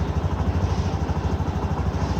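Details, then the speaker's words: Mondial Fury 110i scooter single-cylinder, after replacing fallen exhaust stud: previously putt-putt exhaust noise, now steady even putter about ten pulses a second, no puffing or ticking, exhaust sealed; normal idle after repair. "Aynen şu an sesi güzeldi bayağı önceden Pırpır ses yapıyor egzozda şu an güzelmiş"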